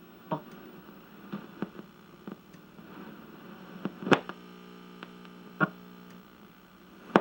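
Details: 1961 RCA KCS133 portable black-and-white TV on power-up: steady low buzzing hum with overtones and a few sharp clicks in the audio; audio detector tube or circuit suspected failed, horizontal phase detector diode soft.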